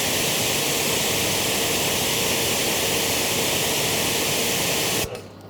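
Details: Active 3.0 pressure washer (rated 3 GPM) with 100-ft 5/16 hose during PSI test, settling at 835 PSI; loud, even spray hiss steady for five seconds, then clean cutoff; pump running smoothly under load.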